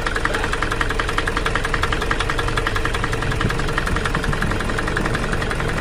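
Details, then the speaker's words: Toyota Fortuner common-rail diesel at idle: harsh, uneven clatter with a shaky pulse near three per second, engine also vibrating; rough running caused by a faulty injector driver outside the engine, with no engine teardown needed. "Hai yang mana suara mesin tersebut Terdengar sangat kasar"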